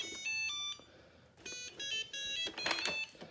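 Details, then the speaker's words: Shark ION robot vacuum with no wheels, unable to reach its dock: bursts of high chiming tones in a repeating pattern; docking error alert beeps. "Okay, you hear that? This one can't dock."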